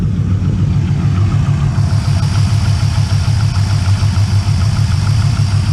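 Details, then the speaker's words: 2001 Pontiac Trans Am, LS1 aluminium-block V8 with steel sleeves, 101,000 miles, long-tube headers, cold idle: deep lumpy exhaust with faint quick light tapping; piston slap, considered normal for LS1. "so you can definitely hear some piston slap but like i said that's not um abnormal for an ls1 aluminum block with steel cylinder sleeves"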